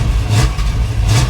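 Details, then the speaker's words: 1968 Chevrolet Caprice V8 just started after cleaning battery terminals; loud low rumble sags and stumbles as throttle opens, then recovers, owner thinks it needs more accelerator pump; off-idle hesitation. "Hear that hesitation? I think we need some more accelerator pump in that."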